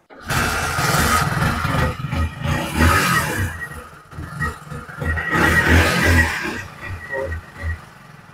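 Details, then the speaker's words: 2020 Hero HF Deluxe BS6 fuel-injected bike with oxygen sensor: revs surge in rough bursts then bog and stall when throttle is opened, rpm fluctuating, poor starting; throttle body suspected, fuel pump pressure check next. "अब अगर मैं accelerator दबाता हूं, तो bike बंद हो जाती है। एक्सीलरेटर दबाने के बाद भी बाइक की रफ्तार नहीं बढ़ रही है।"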